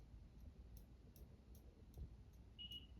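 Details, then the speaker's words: Saga Crown Colony ceiling fan, older version, on medium speed with slight wobble: faint light ticks about every 0.4 seconds over a quiet, steady fan. The pull chain is tapping the housing; otherwise near silent. "And if you can hear me, only noise is coming from the chain."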